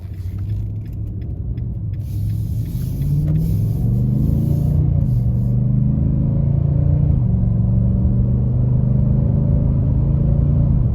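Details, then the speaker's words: 2022 Nissan Titan V8 at idle, fan clutch not stuck: deep, even exhaust rumble with no fan roar, the normal sound; a faint grinding heard earlier was attributed to the A/C compressor. "and that's perfectly fine in what it should do and what it should sound like"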